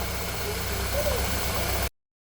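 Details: 2013 Ford Fiesta Zetec Rocam engine after replacing auxiliary idler pulley bearing: steady even idle hum, no chain-like rattle or ticking; problem resolved.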